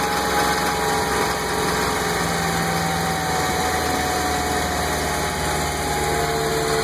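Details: Mercruiser 5.7L marine V8 at idle: rough, unsteady running with a knock underneath; it appeared after replacing the lower-unit U-joints and helm shifter, and persists despite new plugs, a new distributor cap and timing adjustment; cause unknown.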